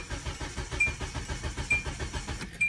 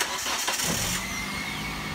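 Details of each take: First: Car cranking but not starting on very low fuel while parked on an incline, battery voltage okay: steady starter churn about one pulse per second with faint ticking, never catches; owner suspects insufficient fuel pressure, unconfirmed. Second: Car with very low fuel that would not start while parked on an incline; rear jacked up to help fuel pressure. Brief crank, then it catches at once and settles into an even idle. Normal start.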